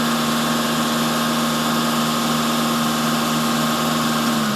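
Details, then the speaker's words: Engine held at steady raised revs during a vacuum gauge test, where idle vacuum reads 19 and dips only slightly when held: even hum with no dips, misses or hunting, so it is running normally. "It moves a little bit lower, but not much. So you see when it loses a little vacuum when I accelerate. Now, if you hold it, that's normal running."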